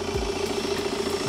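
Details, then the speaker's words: 2016 BMW F22 2 Series salvage car after a frontal impact, intercooler missing so it blows air like a dump valve: a steady, even idle hum with a faint turbo whistle and no knocks or misses. The engine sounds normal. "but on a positive the engine sounds good"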